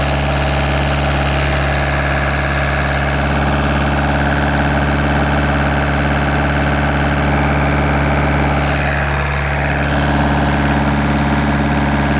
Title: 1.9 TDI BLS ENGINE KNOCKING